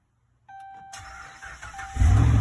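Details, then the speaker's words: 2011 Ram 1500, 5.7L Hemi V8, no-crank complaint; fender-well-to-frame ground bypassed at its stud: door chime, brief crank, then V8 catches cleanly into strong even idle; cause was slight corrosion on that ground; normal engine start. "we got ignition so something as stupid as that can cause your engine not to start"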